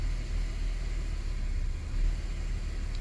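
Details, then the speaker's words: 2008 Ford FG Falcon straight-six petrol, first start after oil and pre-filled filter change with 5 L: low, even rumble with no knocks or ticks, oil light never came on; normal idle. "so not even an oil light came on that's why I pre-fill the filters"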